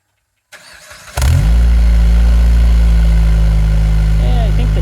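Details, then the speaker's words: Jeep Patriot 2.4 just after fitting a Thrush Turbo muffler in place of the stock one: quick start into a deep, steady, even idle with a smooth exhaust note. It sounds racier but still fairly quiet; healthy. "overall I think it sounds pretty good so much more of a racy sound"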